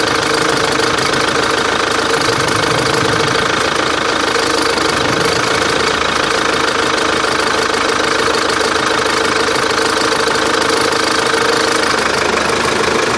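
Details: Chevrolet Captiva diesel at a steady idle with a persistent, hard, even knocking clatter; foreign engine noise, cause unknown.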